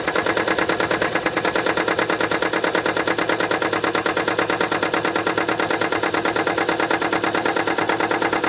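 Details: 2015 Kia Sportage SL, 2.0 petrol G4KD (1998 cm³, 122 kW/166 PS), 118,709 km, at idle with a sharp, very even tick about three times a second from a defective injector.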